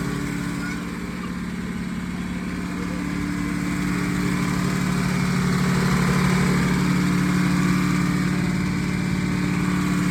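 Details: 1951 Packard straight-eight, sat 30+ years, running on 12 volts instead of 6 volts after grounded points wire fixed: steady even idle with smooth low hum, no knocks or misses; first successful run, normal idle.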